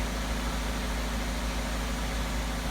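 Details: 2012 Chevy Malibu idling during VVT solenoid testing, exhaust cam actuator being commanded with a scan tool: smooth, steady low idle with an even note and no misses, rattles or hunting; normal idle.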